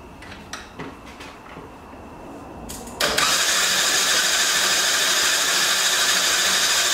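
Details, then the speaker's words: Yamaha Badger YFM80 ATV that sat in the woods for years, with a new aftermarket carburetor and choke on: the starter spins it "double fast" and evenly with no compression pulses or firing; no compression from a valve stuck open. "okay here we go man she spins double fast"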